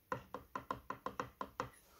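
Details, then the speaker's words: KTM LC4 640 clutch rebuild, inner hub and basket fitted: eight crisp clacks about every fifth of a second as the hub is rocked; slight rotational play from the gear, within tolerance, normal. "most, hogy rákerült szépségesen ez a belső agyrész, a kosár, lehet, hogy hallatszik a videón, hogy van neki egy kis holtjátéka."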